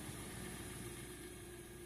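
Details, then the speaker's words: Kia/Hyundai idling after fuel pump work and restart: quiet, steady idle with even low hum, no misses or rattles, with a couple throttle blips; sounds good, new fuel filters still on order. "Give her a couple gases. Nice. Sounds good."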